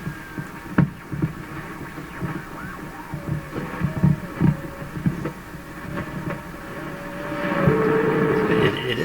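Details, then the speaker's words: 1940s Canadian Red Cross tube radio after replacing four capacitors, loop antenna, run at about 90 volts; irregular throbbing thumps about twice a second under low hum with warbling tones. Poor, weird reception; dial string also slipping. "sort of receiving not very [Music] well wow that's a lot of weirdness"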